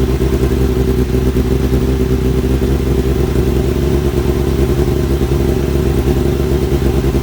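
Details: Kawasaki ZX-7R four-cylinder after carb cleaning for idle problem, warming up: even strong drone, no misses, popping or hunting; normal running, idle adjustment working again; owner suspects old fuel/debris in idle circuit.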